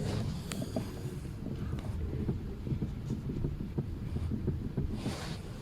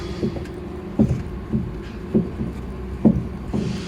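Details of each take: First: Lada Priora after tightening the steering rack adjuster about a quarter turn: in the cabin, low muffled rumble with faint light taps; the heavy knock under the steering wheel is gone, with slight play remaining. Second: Lada Priora, tie rod rocked by hand: dull low clunks about two a second from the steering rack, cured by tightening the rack adjuster a quarter turn, not a failed rack or suspension.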